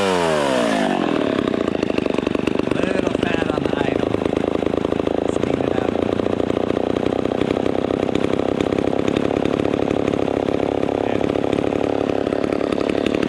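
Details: Vintage Homelite Super XL Automatic (XL12) chainsaw after full tune-up and chain sharpening, just started to warm up: catches quickly, settles into steady even two-stroke buzz with no stumbling or surging; healthy idle.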